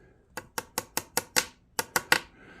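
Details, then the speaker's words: Yamaha XL800/GP800 waverunner top-end rebuild, cylinder dowel pin tapped in with pliers: eight sharp metallic taps, the last ones ringing brighter and more solid as the dowel pin seats fully. "it uh has a more solid ring to the sound."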